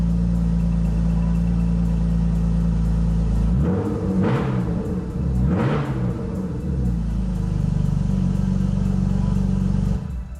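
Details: BMW E36 with an Active Autowerke supercharger, after an Active Autowerke DME tune and EWS immobilizer delete, first start: catches and settles into a steady, even low rumble with a couple of rev swells, running smoothly; radiator leaking coolant.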